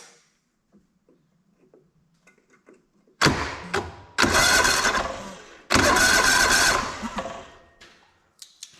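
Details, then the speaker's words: Auction John Deere LX186 riding mower, 17 hp Kawasaki engine, non-running, fuel tank not yet hooked up: three short bursts of steady starter cranking with no firing; engine turns over but gets no fuel, carburetor likely needs servicing. "That seems like it seems like it turns over. Okay. I'm sure we're probably going to have to go through the carburetor, but it's worth a shot to just hook up the fuel tank."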